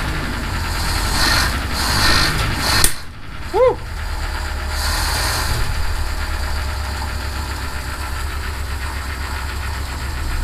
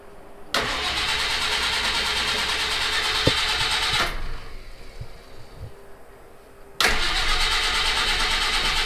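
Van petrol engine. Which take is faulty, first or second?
second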